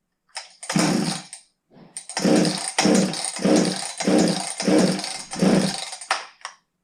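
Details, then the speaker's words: Husqvarna 359 chainsaw unused for two years, six quick pull-cord cranks with no catch or firing while fuel runs out of the muffler exhaust; flooding, usually from a stiff carburetor metering diaphragm after long sitting. "yeah it's not going to run I mean look at this fuel running right out of the exhaust on the muffler"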